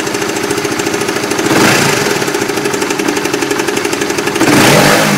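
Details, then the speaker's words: Motorcycle (Oscar) engine with intermittent uneven knocking ("kelotok-kelotok"), about four knocks a second, swelling as revs rise; sometimes runs normal; ongoing about 7 months to almost a year, owner first suspected loose bodywork. "Kadang terdengar suara kelotok-kelotok, kadang suara mesinnya itu normal gitu loh."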